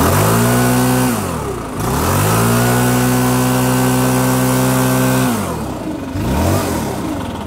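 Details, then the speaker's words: Stihl BR550/600/700 leaf blower after fixing bogging by turning H and L carburetor screws out about two turns: two-stroke engine snaps to full revs, holds steady, drops back without stumbling. "and by the way the screws are turned out approximately two turns out you may have to tweak yours differently but again you see how quickly this fixed the issue"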